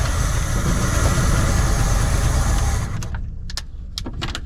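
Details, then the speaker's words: 1972 Chevrolet C20 pickup stored over 20 years, primed with starting fluid after year-old gas failed: deep rumbling catch for about three seconds then fades, followed by clicks; fires briefly but won't keep running. Poor-quality old gas suspected. "well there's there's some signs of life here that seems to like that starting fluid a little better my gas might not be that great of quality"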